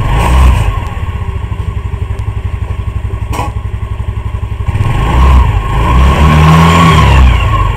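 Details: 2008 Yamaha Mio Sporty single-cylinder scooter after replacing a shredded CVT V-belt; it putters evenly at about four beats a second, then revs up cleanly with no slip or rattle, running normally.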